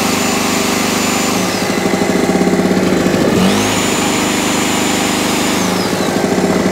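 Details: Salvaged small two-stroke generator, after new NGK spark plug and carburetor clean: steady buzz, dips briefly and picks straight back up, then holds even; normal running.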